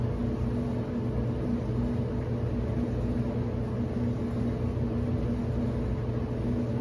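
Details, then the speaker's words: Whirlpool Cabrio WTW7300DW0 dryer after a rebuild with a new thermostat, idler pulley, drive belt and rollers runs with a smooth, even hum and steady airflow rush, blowing warm air; normal dryer operation. "it sounds great runs great sounds real smooth"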